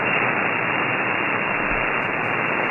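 Dense, hissy static fills the receiver output, with any weak station completely buried under impulse noise.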